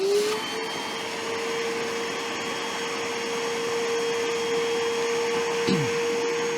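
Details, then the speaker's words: Metabo AS 18 HEPA PC Compact cordless wet/dry vacuum on speed 2 sucking water: even motor hum, then pitch falls away as the motor quits; electrodes in the 6 L tank detect full water level and cut the motor. "we're sucking we're not sucking and the reason behind that is inside the motor housing itself down in the container there's two electrodes and when the water level gets to the top of the electrodes it short circuits turns the motor off and protects the motor"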